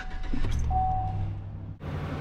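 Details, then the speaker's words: Used truck, oil and fluid checked, started up: starter catches quickly and the engine settles into a steady, even low idle with no knocks or ticks; sounds healthy. "Well, that one sounds much better than the last one."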